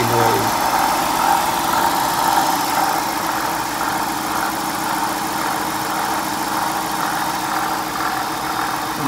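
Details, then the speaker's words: 2011 Dodge Durango 5.7L, just over 80,000 miles, at idle. Steady idle with a constant dry whirring rush, no knock. The noise is traced to the water pump, which gets replaced; worn water pump bearing noise. "I've never never heard of what would make that kind of noise before"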